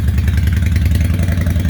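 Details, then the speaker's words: 2003 Honda Shadow 750 Spirit, carbureted 745cc V-twin with aftermarket exhaust, cold start on choke: starts right up, deep steady rumble at fast choke idle with slight exhaust crackle; normal cold-start idle. "so now this is carbureted so the chokes down here let's see if we got a oh it starts right up like that got the choke you can hear the exhaust"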